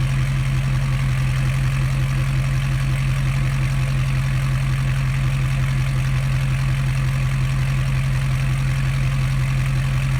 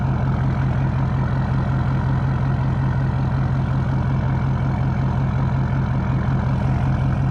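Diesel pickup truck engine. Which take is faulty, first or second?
first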